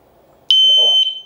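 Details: Kovix disc lock with alarm, armed: when the lock is moved it gives one sharp, high-pitched electronic chirp of about half a second; alarm triggered by movement.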